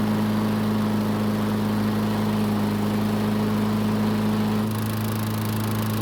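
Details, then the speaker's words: Free Troy-Bilt mower with unknown issues, would not start on primer; after physically priming with fuel it ran steady, then after about 3 minutes the tone drops and falters and it stops on its own, repeatably; stalling after priming, fuel starvation. "so as you just saw it started and ran but only after physically priming in however this mower is not going to make this easy because after about 3 minutes of running it stopped all on its own"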